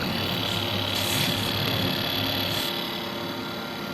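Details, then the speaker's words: MacBook Pro running with its case open: fan whirs with a fast, uneven rattling chatter over steady hiss and whine; the left fan is faulty, and the chattering stops when its power connector is unplugged. "I'm about to remove the power connector to the left fan while our Mac is running. This way, we'll know if the chattering stops. And that was the culprit."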